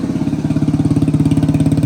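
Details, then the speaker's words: 1985 Suzuki DR250 survivor, started easily after exhaust and intake work: crisp even single-cylinder beat around fourteen pulses a second, no valve chatter or ticking, idling and sounding really good. "Sounds really good. No valve chatter. Started up pretty easy. And it's actually idling."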